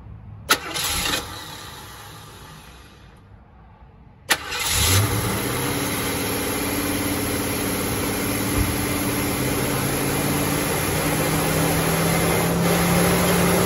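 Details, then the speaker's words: Barn-find 1969 Mustang Mach 1, 302 Ford small block, rebuilt Holley 600 carb, first start after nearly 10 years: cranks, catches and holds a fast steady idle with throttle blades closed; electric choke stuck on holding revs up, later disabled. "Oh, the choke's on. Choke's on, ain't it? Yeah. Want me to, I'll get a screwdriver put in the choke. Yeah, because I've got the throttle blades totally closed."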